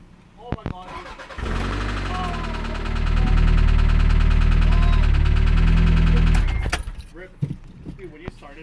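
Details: Toyota ST165 Celica Alltrac running with a steady metallic knock about four times a second, like rod knock: loose T-VIS intake flaps rattling above the valves; fixed with new T-VIS assembly and gaskets.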